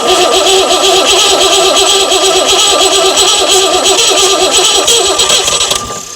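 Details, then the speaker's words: Mystery old six-cylinder Perkins turbo diesel, dragged from a farm field with no history, first start attempt: cranks, catches and clatters into a steady even run before shutdown; starts and runs fine. "Looks like it might run this thing, you know. Well, it's drawing did something."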